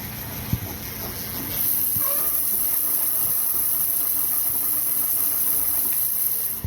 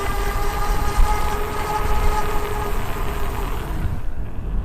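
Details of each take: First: Super73-Z1 e-bike hub motor: a thin, high hiss appears only under throttle and cuts off on release. Suspected, after talking with Super73, to be a worn freewheel. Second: Super73-Z1 e-bike after a hub motor and freewheel fix: a steady even hum with a smooth whine under a low rumble. No clunking or squealing remains; the hub motor runs normally.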